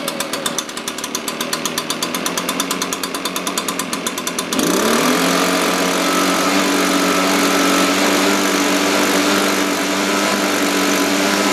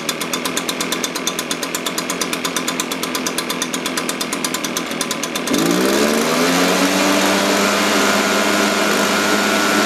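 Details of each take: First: Echo PB-580T two-stroke leaf blower, cold start, older fuel, bogs on throttle, suspected vacuum leak or carburetor issue: slow lumpy idle then steady high drone when revved; idle a little low, slightly rich, needs tuning. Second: Echo PB-580T leaf blower after a carburetor adjustment, previously bogging on throttle: idles with a steady beat and revs cleanly; low-speed mixture still slightly rich.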